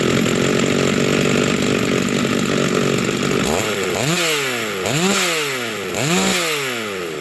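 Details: Rebuilt vintage Stihl 036 chainsaw with aftermarket Meteor piston and cylinder, new crank bearings and seals, new muffler and clutch, rebuilt OEM carb; warming up after first start, steady buzz then three clean throttle blips; healthy and responsive.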